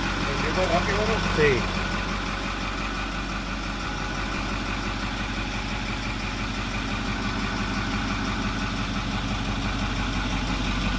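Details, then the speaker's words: 2008 Ford F250 6.4L turbo diesel, code P2291, would crank, start seconds then die; after replacing failing electric diesel fuel pump under door on frame and purging air: steady even diesel clatter at idle, normal. "Ahí prendió."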